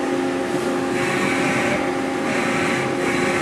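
Steady motor hum with a clear whine and a soft pulsing hiss as the axis moves, no grinding or knocking; the drive sounds healthy.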